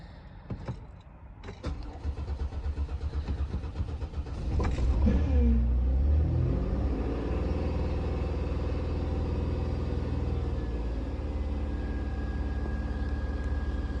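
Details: 2008 Dodge Caravan SXT, cold snowy morning about 24 degrees: a few seconds of slow, labouring cranking before it catches, flares and settles to a steady idle; hard cold start.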